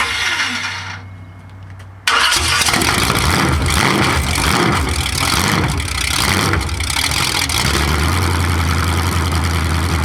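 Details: 427 big-block Chevy V8 on an engine run stand, first fire after a very long time unrun, open pipes, distributor timing just adjusted: cranks and catches, loud even rumble with rev blips, holds idle; sounds really good.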